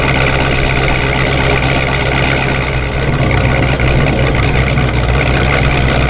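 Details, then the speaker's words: Forged 426 Hemi with a D1SC supercharger, cold start: steady deep idle with a dry gear rasp on top. Typical straight-cut blower gear noise; the owner is unsure whether all of the grindiness comes from the gears. "a lot of people have noted that my supercharger sounds a little grindy and I know part of that is from the straight cut gears but I don't know if all of its from the straight cut gears"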